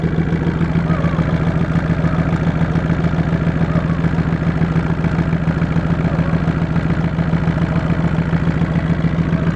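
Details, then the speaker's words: 2003 VW Jetta 1.8 turbo, 174,821 miles, idling rough after start with a steady shaking throb about twice a second over a clattery hum; codes P0341 cam position sensor and P0011 cam angle; owner suspects cam position sensor, worse on the road. "that's up north uh cash half positioning sensor maybe you know if you can see it or not but the door shakin probably an easy fix"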